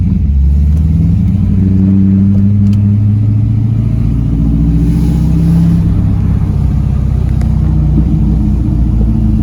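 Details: C5 Corvette 5.7L V8 on a hot day after new serpentine and AC belts, pulling in second gear: choppy lumpy cam burble, even and clean, no belt squeal or chirp; running normally.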